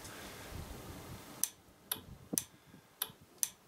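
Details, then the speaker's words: 1200 FJ motorcycle during electrical rewiring, ignition on, brakes simulated: crisp regular relay clicks about two a second, six in a row; relay switching normally and lights working. "On entend le relais, ça c'est cool. Et ça marche."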